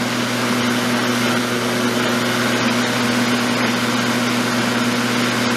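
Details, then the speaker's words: Black & Decker electric mower, cleaned up with a sharpened blade, started by pulling the lever; steady, even hum with no shake or vibration. Normal, smooth running. "So here we go. Oh wow, isn't that smooth? No vibration."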